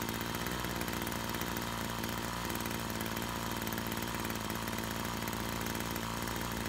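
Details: Brush cutter two-stroke after repair of a fuel leak from a split hose (it had stalled while mowing): steady high buzzing note, even unbroken drone, no misfires or stumbles; running normally.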